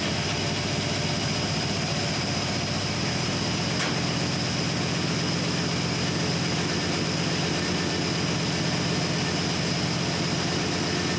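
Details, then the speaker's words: 1972 Chevrolet C10 carbureted engine at first startup after installing a Carb Cheater with carb spacer, O2 sensor and vacuum hose: loud airy hiss over a fast idle. Owner suspects a serious vacuum leak; AFR reads 10, rich. "Know what that was, but it sounded like it had a pretty serious vacuum leak."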